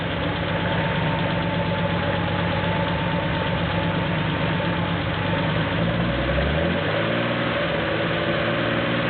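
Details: Porsche 911 2.7 L flat-six, early S cams, twin plug, 46 mm PMO throttle bodies, Tec3 management, warming up with throttle linkage refitted while both banks are checked for balance: smooth, even idle with a steady beat, no misses or hunting; normal idle.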